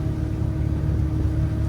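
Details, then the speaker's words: 2020 Tahoe 700 boat, MerCruiser 4.5L 250 hp with Alpha One drive, 156 engine hours, trimmed all the way down, a little throttle, heard from the helm: a low smooth rumble and steady drone, no knocks, misses or rattles. The motor runs quiet. "I don't know, I mean, from my position right here, it's quiet in here. there's not a lot of noise. That motor's really quiet."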